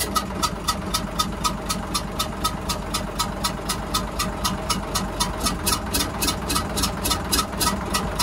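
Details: Hyundai 6D16 diesel engine; when cranked it blows out a lot of air; sharp regular tick about four times a second over rough diesel idle; blown head gasket.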